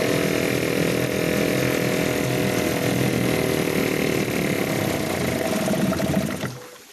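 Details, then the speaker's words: Yamaha/Suzuki 2.5hp two-stroke outboard with a slow-running jet problem, carb screws being adjusted: raspy buzz sags and roughens as revs drop, then dies around six seconds; stalls at low revs from the slow-running jet fault. "take the reds down low and she wants to cut out so i could think about that now for a bit but i got her running"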